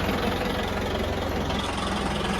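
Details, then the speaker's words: Maruti 800 restored with a swapped-in Mahindra diesel engine, engine slightly cold: even diesel clatter at steady idle, no misses, hunting or loose knocks; sound is quite good, normal diesel idle. "तो ध्वनि काफी अच्छी है।"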